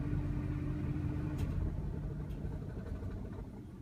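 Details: 2000 Jeep Grand Cherokee 4.7L V8 with rough idle and stalling for over a year despite new plugs, fuel filter, TPS and IAC. Purge solenoid code traced to a bad PCM connection. Low, uneven, irregular rumble at idle, cause not pinned down.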